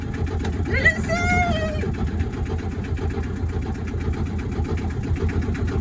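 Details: Wauquiez 29-foot sailboat inboard engine, first start after rewiring the electrical panel (batteries about 12.7–13.2 V): catches and settles into a steady, even idle thump with no misses or knocks; normal start and idle.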